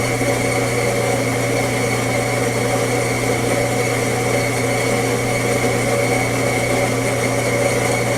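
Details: Coffee grinder during Fetco brewer calibration: steady, even motor whir with constant grinding, no surges, rattles or labouring; running normally.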